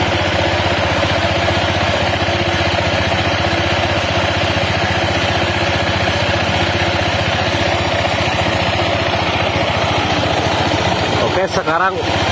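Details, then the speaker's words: Honda PCX 160 at idle after a CVT service with front pulley sliders refitted: steady, even idle with only a faint light chatter from the belt drive. The earlier clunking (klotok) is much reduced. "mendingan suara klotok-klotoknya ya tidak terlalu kedengar seperti tadi"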